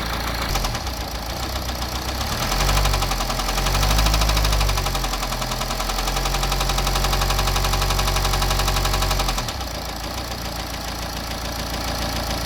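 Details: BMW N47 diesel (520d/320d/120d) with heavy, regular deep knock about four a second following revs up and down; bottom end gone, worn crank and rod bearings.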